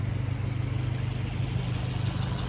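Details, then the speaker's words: Even, steady idle of a 2017 Fiat 500 Abarth with a light, fast typewriter-like ticking from the top end; normal valve tapping for this engine, louder tapping signals low oil. "and again you hear the little bit of tapping they usually call these cars like typewriters because if they're making that type tapping sound but you know it's actually not running bad at all that's actually how it runs"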